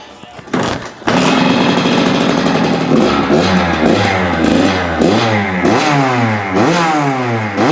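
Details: Kawasaki KX85 two-stroke after crankshaft rebuild and going richer on the main jet from 132 to 135: crackles into life, then blips cleanly with crisp, even revs and no bogging; running properly.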